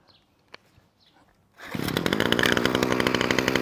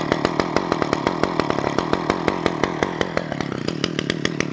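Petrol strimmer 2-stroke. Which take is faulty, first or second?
first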